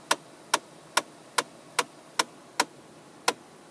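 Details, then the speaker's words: 2010 Ford Mustang dash: sharp dry clicking/tapping about twice a second when air is directed from lower to upper vents. "we get that clicking noise and after playing with it a little bit more figured out that if you move the valve I guess that adjusts the air from the lower section up to the top section we get that tapping noise"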